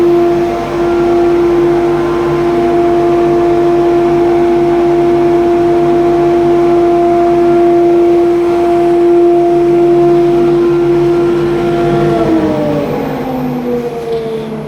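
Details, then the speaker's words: Modified old dust extraction unit with gated ducting to every belt grinder in a grinding room: steady even mid-pitched hum that spins down when switched off, with good suction, normal dust extractor running. "it's not too noisy I'll turn it on now so you can hear it and um yeah the suctions pretty good"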